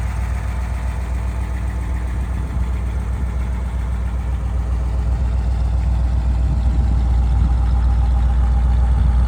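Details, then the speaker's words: 1957 Ford Thunderbird, original unmodified 312 cid 245 hp 4bbl V8, automatic, 43,126 miles: deep even rumble holding steady and rising slightly, no knock, miss or tick; healthy idle. "Sounds runs just like it should. Nothing's been modified in there."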